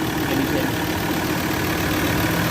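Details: Ford Ranger diesel idling after diesel flush and oil change with XADO engine treatment: steady, even idle with a constant low drone and no uneven pulsing; no blow-by seen, engine healthy.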